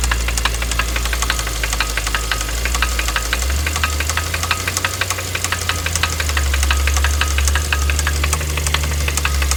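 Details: 2012 Kia Optima SX with recall-labeled engine: a steady metallic knock about three a second at idle before complete engine failure. It had previously stalled while driving, and acceleration was sluggish and sputtering.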